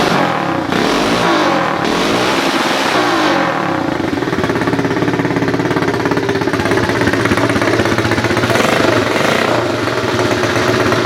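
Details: 2018 automatic pit bike with key start, no clutch or gears, run with the back end lifted: small single revs up cleanly and holds a fast, even, steady putter with no knocks, misses or rattles; running healthy.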